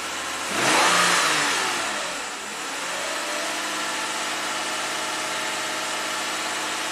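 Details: 2015 Lexus IS250 V6 AWD, no codes, throttle body already replaced, in Park: fires, flares hard, dips, then holds a steady high-pitched fast idle over 2,000 RPM; the computer commands the throttle open too far, cause unknown.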